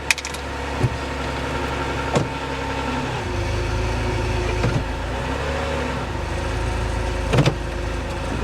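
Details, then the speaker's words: Lightly damaged salvage car at idle: smooth, steady, even hum with a few handling clunks in the background; normal, healthy idle. "Oh wow. Wow, she runs nice."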